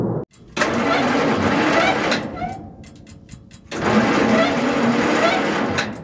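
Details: 1940s Bay City Model 30 crane/dragline engine, unused over a decade: two long bursts of slow, uneven cranking that never catch or fire; cranks, no start.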